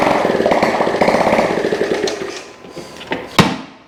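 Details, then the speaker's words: Honda ST70 with a rebuilt top end and new carburetor, run without an exhaust, restarted after its first start in years. Quick open-pipe popping at a fast, fairly even rate that fades as the single shuts down; it starts easily and runs fine. "Guys, this sucker's gonna start so easy. It does start so easy."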